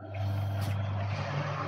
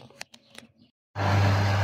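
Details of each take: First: Mouv'spa hot tub restarted after maintenance without purging pump: steady low motor hum with rough churning hiss, nothing happens; air-locked pump not priming, needs purging. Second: Mouv'spa hot tub after pump purge and cap refitted, restarted: clicks then steady even low pump hum, no gurgle or rattle; running properly.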